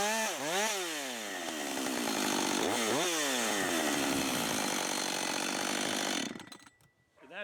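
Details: Husqvarna 562xp AutoTune saw, long unused, cutting after 30–40 s part-throttle self-tune, about 15 degrees or colder with cold gas and oil: revs crisply, holds a steady high scream through the cut, drops cleanly to idle; running right.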